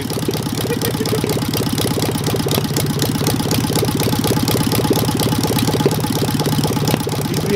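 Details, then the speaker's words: Warm engine with a Solex 30 PICT carburettor, carb sorted and timing all right: heavy, regular tapping at about three beats a second over the idle, from the cylinders. Source undetermined; a big end is feared, and valve clearances are to be checked when cool. "there's a heavy tapping sound coming out of those cylinders i'm hoping it's not a big end or something serious"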